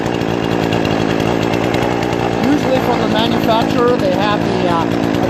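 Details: Brand-new Remington Outlaw RM4620 20-inch gas chainsaw after its first start: steady, even two-stroke buzz holding its pitch without sputtering or misses; running cleanly and healthy.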